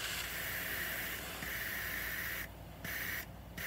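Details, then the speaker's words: Newly mounted tubeless motorcycle tire, inflated to 40 PSI, air bled through the pressure gauge's side release valve down to 30 PSI: a steady high hiss with two brief cutoffs. "thing has this little thing on the side that'll let air out, or you can turn it around and poke it with that little piece."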